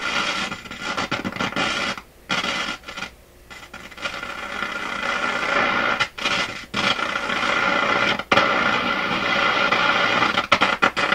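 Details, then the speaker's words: Florida AM/FM/SW tube radio on the AM band: harsh irregular crackling and scratching over the hiss, cutting in and out. AM tuning capacitor plates short near full mesh; after screw adjustment the short remains only at the very bottom of the band. "It's still shorting right at the bottom area here, but it's no longer shorting out in the part of the AM band that's so important up here near Toronto, which is the 600 to, well, the lower half of the AM band."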